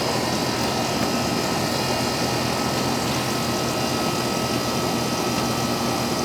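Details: Old Amana R-22 AC condenser after replacing the bad contactor and weak capacitor: steady fan rush over a constant compressor hum, no cycling, buzzing or rattles; normal running.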